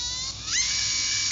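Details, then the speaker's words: Rebuilt Acuvance Fledge 10.5T brushless RC motor, shaft play fixed: thin high whine climbs sharply into a scream as boost kicks in, then settles; boost working shows the sensor board is good, full power. "But I hit boost, that means the sensor board's good, and I get full power."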